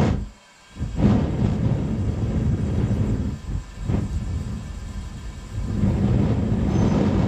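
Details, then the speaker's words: Furnace gas burner (eBay furnace, Frosty T burner, tube suspected too long): low gas roar surges and drops every few seconds despite air almost fully blocked off; burner hunting, tube to be cut shorter. "sweet i had to keep blocking the air off almost almost all the way blocked off and it kept on doing that hunting and that was it different pressures on here you could hear the gas coming out"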